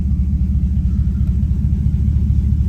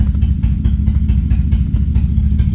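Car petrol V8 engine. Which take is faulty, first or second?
second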